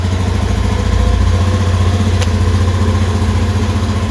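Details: Honda Beat FI scooter with hard starting, sudden stalling and lost compression, started with a cold engine: a steady, even low putter with no knocks or misses.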